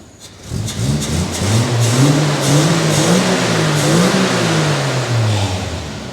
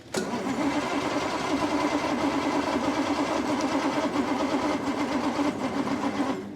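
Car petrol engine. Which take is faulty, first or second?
second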